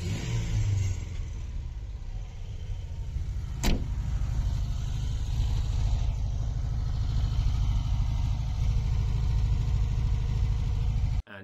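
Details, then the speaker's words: VW T25 camper, after valve adjustment screws set to cure tapping and carburettor blown clean with inline filter added: steady even idle, no valvetrain tapping, runs smoothly. "sounds sounds pretty good uh no noise at all ran really well"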